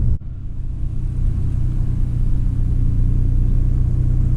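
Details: 2003 Chevy Trailblazer LTZ 4x4, 4.2 I6, warm idle after new valve cover and intake manifold gaskets, plugs and coils (oil leak had caused P0305 cylinder 5 misfire): low, steady rumble with no misses or knocks; smooth, even idle.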